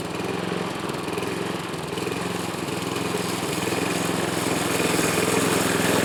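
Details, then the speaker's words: Yard Machine mower, compression only 60 with oil in cylinder, engine worn out, smoke from added oil: uneven, loping single-cylinder running about 3-4 pulses a second; low compression. "u guys can hear how it's running it ain't running good but I do have some grass to mow so go ahead and get this done"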